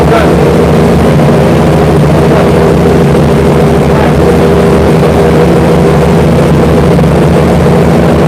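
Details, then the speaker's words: Freshly installed Chevy V8 on first start warm-up, timing and fuel ratio not yet set: deep, loud steady idle with slightly lumpy, uneven beat. "but for now we just installed it this afternoon that we got to figure out the timing their fuel ratio"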